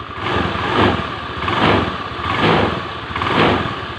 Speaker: kalau semuanya Normal itu motor akan lancar seperti ini teman-teman